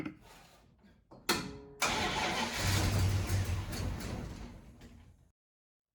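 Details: 1974 Plymouth Duster 318 V8 after years neglected in the desert, fed gas poured into the carb; short cranking bursts, catches and runs rough a few seconds then dies; wiring arcing at an uninsulated connector: hard start after storage.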